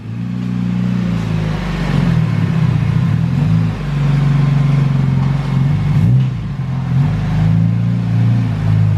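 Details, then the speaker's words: Honda Civic EK with B16A engine, GT30 turbo and Hondata S300 ECU on flex fuel: deep, smooth exhaust note rising and falling with each throttle blip, even and clean with no knocks or misses; healthy turbo engine revving. "dang that turtle sounds good [Applause] well that's gonna be fun already i would like it just for the noise that's what i'm saying"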